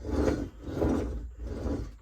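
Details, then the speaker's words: 5-inch gauge SR plank wagons, dry after years of storage in a shed, being rolled; slow, uneven scraping rasp about every half second from the non-functional brake blocks rubbing on rust on the wheels. "Some of that noise is the brake blocks, which are non-functional, I should add. Rubbing on the rust on the wheels."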